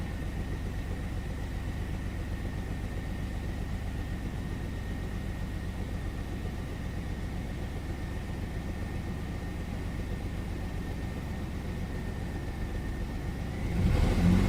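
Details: 1999 Chevy S10 4.3 held near 1900–2000 rpm with an uneven, loping misfire and faint constant tone; no fuel reaching cylinders 4 and 6 despite good spark and a swapped used fuel spider of uncertain history.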